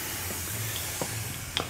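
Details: 2002 Ford F250 7.3 Powerstroke turbo diesel, engine off, intake pressurized with homemade boost leak tester at around 9 psi: thin steady hiss of escaping air; boost leak at a rubbed-through plastic boost gauge line fitting.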